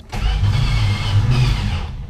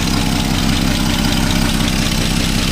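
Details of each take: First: 1962 Plymouth Valiant 170 Slant 6, 63,000 miles, abandoned 20+ years and freed from a seized state, run on old chainsaw gas; fires unevenly and stumbles, running poorly, with ignition timing possibly way out. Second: 1962 Plymouth Valiant, 170 Slant 6, pushbutton automatic, 63,000 original miles, abandoned 20+ years, freed from seizure, running on old gas: smooth, very quiet idle with an even low pulse about four beats a second, no knocks or misses; normal idle.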